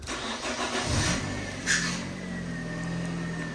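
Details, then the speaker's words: Car engine cranks and catches with a thin high squeal rising over the start-up roar; owner calls it squeaky, suspects possibly a motor, possibly needing a replacement motor. "let me just uh get old squeaky engine going"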